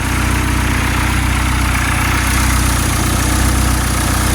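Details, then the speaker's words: Honda D16Z6 420+ hp build, first start, ignition timing not yet set: deep steady idle with even low pulses about four per second, no knock or miss; normal idle. "still got to do the timing sounds good though I just got adjust the timing let me see I can get the timing light on it and see where it's at"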